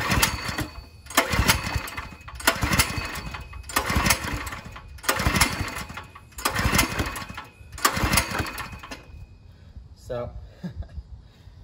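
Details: Ryobi 3100 PSI pressure washer, 212 cc engine, choke on, fuel open, yellowish fuel: seven rhythmic pull-start attempts, engine coughing but never catching; hard starting from a clogged carburetor.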